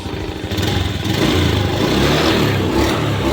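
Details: Honda Beat ESP 2019 scooter after diagnosis and scan showing no fault codes; revs climb cleanly with no stumble or hesitation, crisp responsive throttle, hesitation fixed.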